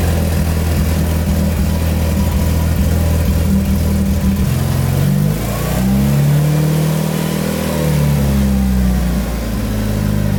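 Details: Mitsubishi Evo 8 started during an oil change, after filling the new filter and topping up slightly low oil. Catches, settles to steady idle, then revs rise and fall smoothly with even firing, no knocks; normal start and rev.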